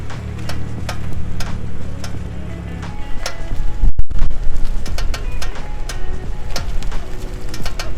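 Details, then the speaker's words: BMW M2 front suspension: sharp irregular clicks as the steering turns, at very slow speeds when cornering and when turning the wheel at standstill, with music over the top; before the repair. "so clicking noise when cornering at very slow speeds and when turning the wheel at standstill"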